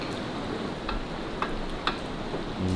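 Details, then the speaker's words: Harley-Davidson WLA: light metallic clicks about every half second as a loose piston is rocked by hand in its bore. This is piston slap from far too much clearance on its plus-50 pistons; it likely needs new barrels and pistons. "hear that that's called piston slap as your piston goes up and down obviously it rotates that way so your garden pin comes up and down like that and your piston rotates like that on it"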